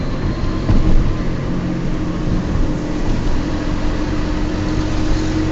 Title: Noisy bad wheel bearings in my Peugeot 206